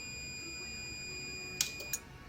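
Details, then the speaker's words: Meta Systems M76 car alarm, new replacement indicator relay on a 12 V bench supply with a meter: two crisp clicks about a third of a second apart over a steady meter tone, so the relay is switching cleanly, unlike the old sticking one. "And if I turn the power supply on, you can hear the relay changing state."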